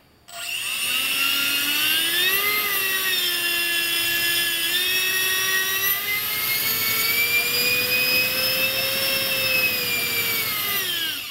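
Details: Electric ducted fan (EDF) during dynamic balancing by the clock method, at the nine o'clock position: steady high whine climbs, holds and falls evenly with no shudder or wobble; balanced fan running smoothly, turbine-like sound.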